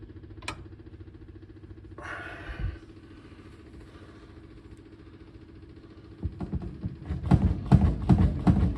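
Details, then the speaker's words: 1940 Ford, first start since November after gas tank installation: faint fuel pump ticking, a short crank with choke, then it fires at once into an even low putter. A healthy cold start. "choke this started instantly and purred like a kitten that's what I've always loved about this car it's like it just wants to run you know you got to love"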